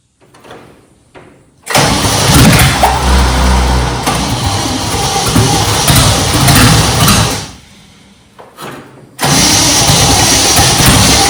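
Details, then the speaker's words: Junkyard 1969 Chevy C10 small-block when hot: long, dragging, strained crank bursts that stop and restart before catching. Owner blames a horrible starter and suspects a poor cap and rotor; cause not confirmed. "The starter just ain't happy. Soon as I turn the camera off, of course, it wants to do more. This starter is just horrible."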